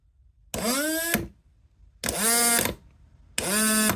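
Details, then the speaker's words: Rover gas turbine Rotax actuator motor on rebuild, run both directions: three short whirring whines climbing in pitch then cutting; odd tone because brake pack too tight and backed right off, brake sticking. "Now, the reason it's making that funny noise is because I've had to back this right off. So it looks like the brake pack is too tight."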